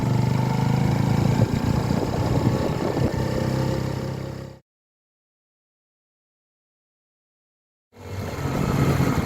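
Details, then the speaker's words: Mash Fifty 50cc engine at about 21,000 km, rebuilt with a new timing chain, on a cold test ride. Revving gives a light clatter of about three to four knocks a second. The big end bearing was found within spec; the owner suspects the starter mechanism behind the generator. "the mechanical noise that I've been hearing that started this entire project well it wasn't caused by the big and bearing of the crankshaft"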